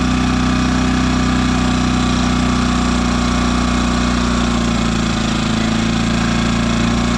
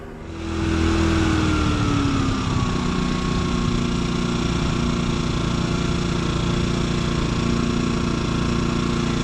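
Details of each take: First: New Yamaha EF2200iS inverter generator in eco mode, after turning the idle screw in about 1.5 turns so the stepper motor has a stop: steady, smooth, stable low idle. The former surging is fixed. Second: Brand-new Yamaha EF2200iS inverter generator idling in eco mode with the idle screw backed off: note swells and eases as the stepper motor hunts with no positive idle stop. Milder surging than before; turning the idle screw 1.5 turns in fixed it.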